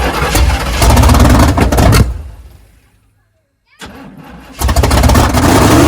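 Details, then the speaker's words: 1979 Chevy Suburban 8-door shuttle, first start with fuel pushed manually into the carburetor: engine roars at high uneven revs, dies away, surges again; owner unsure if throttle stuck, possibly wide open, or excess fuel caused it. "I don't know if we got a throttle stuck or if that was just cuz the amount of fuel I manually pushed into the carburetor there. I didn't really like it going that high RPM though."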